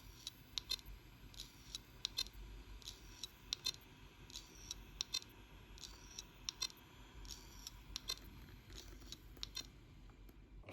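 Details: Seagate hard disk drive that suddenly failed, all data lost: repeating sharp clicks, under one per second in a steady cycle in a quiet room; clicking failing drive suspected.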